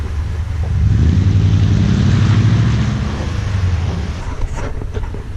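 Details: Toyota Tundra V8 with new TRD dual exhaust, heard from behind: deep, smooth rumble swelling with a throttle blip and settling evenly; healthy exhaust note.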